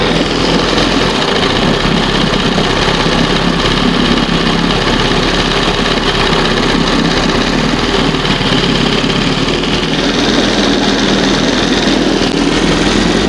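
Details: 1971 Johnson 20 hp two-stroke outboard after carburetor rebuild and readjustment: steady, even buzz at fast idle with no misses or stumbles; normal fast idle, running clean.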